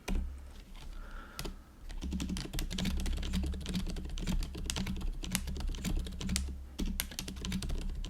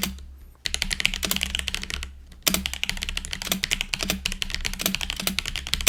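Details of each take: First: GoPolar TKL keyboard converted from Azure Dragon to factory-lubed Silent Cream Yellow Pro switches, stabilizers fixed, typing test: soft, muffled keystrokes in quick uneven bursts, no spring ping or stabilizer rattle; normal quiet typing. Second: GoPolar TKL budget keyboard, stock before modding, Cherry-profile caps, external mic: quick clacky typing, the space bar landing deeper and hollower with a loose plastic rattle; stock stabilizer rattle.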